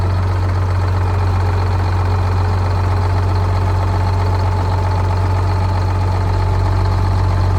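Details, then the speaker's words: 1979 retired fire truck with two-stroke Detroit diesel, started after sitting for years, revved then idling: deep, steady diesel idle with no knocks or misses; engine runs flawlessly, though the transmission is bad. "It's a shame that transmission's bad, because this motor runs flawlessly. It sounds amazing. These two-stroke Detroits are awesome."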